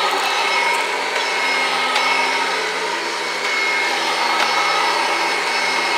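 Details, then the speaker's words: 1991 Kirby Generation 3 upright vacuum, run for the first time in quite a while: strong, steady high whine with no surging or rattles, not missing a beat; vacuum motor running smoothly, normal. "Not even missing a beat. Sounds really good. Perfect."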